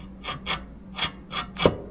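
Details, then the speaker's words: Locked-up built race engine turned by hand gives about five harsh scraping rasps in two seconds, one per turn, like loose metal catching inside. A part is smashed and ground, and a plastic gear is broken and wobbly. Foreign object strike. "That does not sound healthy at all. Oh gosh. Something isn't good. Clearly."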